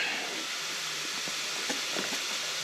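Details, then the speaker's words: Honda intake manifold with data logging during a boost test. A thin, steady hiss with a few faint ticks: a small leak, much less than before, still bleeding from one side, possibly near the throttle body flange. ">> Oh, she's leaking somewhere already. A little bit. Yeah, she's still leaking from there. Not nearly as bad."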